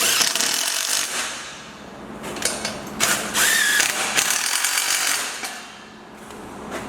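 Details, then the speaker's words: Drill driver with a half-inch bit tightening pony wall post anchor bolts: bursts of rapid ratcheting clicks as the bolt snugs up, the clutch slipping at set torque, normal. "eventually you're going to hear it clicking away when it starts to click away you know that it's getting tight"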